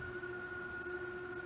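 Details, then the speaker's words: Bridgeport R2E3 Boss 8 CNC retrofit, table moving at double speed in the positive X direction: a thin, steady high squeal over a quiet motor hum. The owner suspects the motor bearing needs replacing. "right good now I hear some squeaking and I think I think the Burien in this motor might need to be replaced so that's something I'm gonna have to attack the address later"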